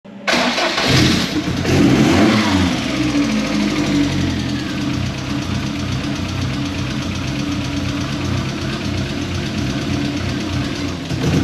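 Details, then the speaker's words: MK1 Ford Fiesta with Zetec conversion: starts, then lumpy hunting idle with irregular stumbles, worst cold and stalls when throttle is touched cold; caused by a vacuum leak through a previously drilled-out PCV valve, fixed by new PCV valve and resetting cam timing. "as you heard In that clip the idol is absolutely terrible especially when she's cold"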